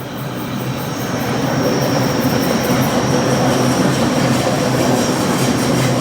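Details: Trains on a very bendy section of track between Waverton and Wollstonecraft stations in north Sydney: a loud rushing pass with a thin steady high-pitched squeal riding over it; the meter recorded a maximum of 79 as two trains passed.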